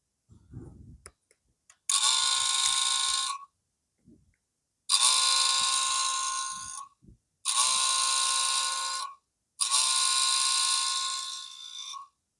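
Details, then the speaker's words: Motorcycle (R3) that now starts and runs, mic held close to the ABS unit: with ignition switched off, plugging in the connector makes the ABS pump motor whine in bursts of about 1.5 seconds, four times; motor end screws show rust and possible signs of prior turning. "เดี๋ยวจะให้ฟังเสียงอีกทีนะครับเสียงเจ้าABSนี่แหละเดี๋เอาไมค์เข้าไปใกล้ๆนะคอยดูนะครับเดี๋ยวจะเสียบปลั๊กเข้าไปนี่ไม่ได้เปิดสวิตช์นะ"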